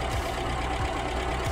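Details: Ford Escort Mk3 petrol engine after a service with new points, rotor arm and distributor cap, firing up to check ignition timing: steady idle with a gentle, even lope and no knocks or misses; sounds healthy.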